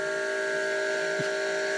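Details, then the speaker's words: Fuel tank under smoke-machine pressure, engine off, tiny pinhole patched with JB Weld: steady hiss with thin whistle as air escapes past the filler cap breather, a leak at the cap. "Listen, coming out the cap, the breather."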